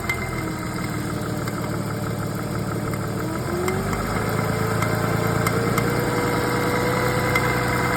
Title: Porsche 986 rattling sound